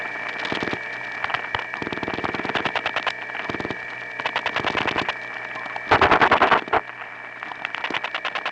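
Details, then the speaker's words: Bursts of clicking pulses and tones bleed faintly through line hiss in a step-by-step environment (1976-1981 analog network): crosstalk from other trunks via capacitive coupling of wire pairs running side by side for miles. "here here are a few more of this type of recordings again cross talk from other trunks in a step-by-step environment"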